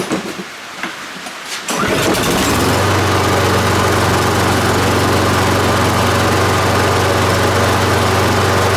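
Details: Husqvarna AWD push mower, Briggs & Stratton 7.25 hp, after cleaning fix for spring no-start: catches within a second and settles into a steady, even idle putter with no misses; normal start and idle.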